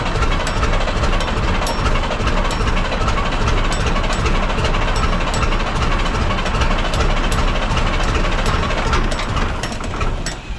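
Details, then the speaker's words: 1965 Kenworth W900 Cummins diesel, new starter, half throttle while cranking: rough uneven chugging about 2.5 beats per second, only two cylinders firing; misfire on most cylinders, fuel injection rack suspected badly set. "it's only running on two solders that R right nope"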